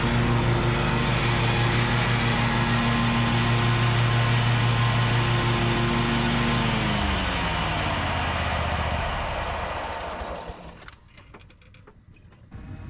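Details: Bad Boy zero-turn mower, fire-damaged engine repaired, drive pull fixed and new blades fitted: steady even drone under mowing load, then smooth wind-down; healthy and clean.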